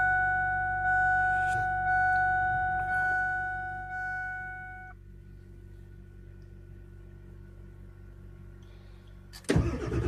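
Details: 1999 Ford F-350 7.3 diesel, cold start with bad glow plugs: slow rhythmic cranking that never catches; the steady electrical buzz is unrelated. Cold no-start from failed glow plugs.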